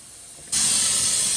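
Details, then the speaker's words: 1960/61 GM 4106 bus with no air dryer, its air brake tank drain opened: a sudden loud, sharp hiss sputtering out a big puddle of collected water. The tanks should be drained daily. "yeah he started draining that tank that big puddle of water is coming out of that air tank good yeah"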